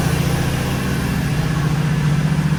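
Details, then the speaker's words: 1986 Oldsmobile 442 Cutlass G-body V8 after exhaust leak repair: smooth, even low rumble with no ticking or puffing; quiet healthy idle. "all right now you can hear how quiet it is it's a lot smoother now"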